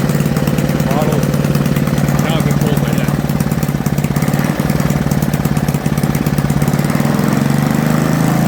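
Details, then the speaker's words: Toro 524 snowblower after tune-up with aftermarket carburetor, previously hard to start: now fires on first pull, quick even beats at slightly high fast idle, no misses or surging; normal running. "So I'll just fire it up. So first pull, usually I had trouble starting it, now I don't."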